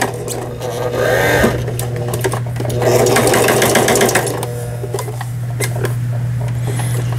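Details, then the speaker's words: Brother PS12 New Star sewing machine, about 30 years old, repaired for a broken forward/reverse button, an inoperative feed-dog raise/lower, thread tangling underneath and upper tension faults. After repair it gives a steady motor hum with an even stitch clatter about four times a second, reverse working. Runs normally. "자, 이거 후진 버튼 눌렀을 때 후진이 정상적으로 작동되고 있고요."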